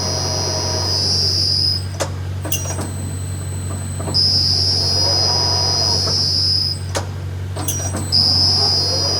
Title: 40 Ton Overhead Crane Making Odd Clunking Noise